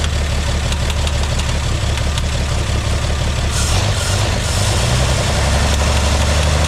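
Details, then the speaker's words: 1958 GMC pickup parked for years, first start with a broken choke cable that won't hold: the old six-cylinder settles into a deep, steady, lumpy idle with an even beat and no obvious knocking. Normal idle. "fire in the hole the choke table broke so it ain't going to hold it CH no more [Laughter] sounds like a machine"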